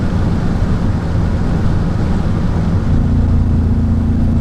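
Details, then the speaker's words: Mercedes-Benz E55 AMG W210 with Kleemann 55-K2 supercharger, fourth gear around 3,500 rpm under load: deep flat drone that never builds, hesitating and not pulling; multi-cylinder misfire traced to Bosch F5DC spark plugs. "there you go so now the car's hesitating fourth gear 3 and 1/ 12,000 RPM yeah you can hear that it's not going it doesn't want to go anywhere"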